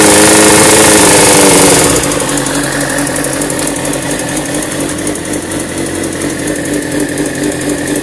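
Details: 2002 Suzuki GSX-R750 K2, 13xxx on the clock, warm above 120°F: inline-four idling and revving with a steady fast light ticking about four a second; owner suspects unreplaced cam chain tensioner or possibly spun bearing, unconfirmed.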